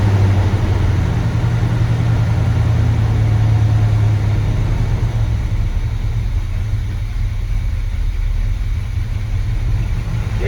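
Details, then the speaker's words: 1970 C20 truck, not yet warmed up and low on fuel. Low, steady V8 rumble at idle with no stumbling, tapping or knocks, and the timing sounds perfect: a healthy idle. "let's start it up again the timing sounds perfect that's a good thing"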